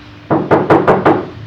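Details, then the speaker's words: Fiat 147 under restoration, bare floor sheet metal before sound-deadening plates are fitted: five quick hand knocks, about five a second, each ringing hollow and lingering, showing undamped floor panel drumming. "Vamos a colocar estos paneles y vamos a ver si cambio el sonido."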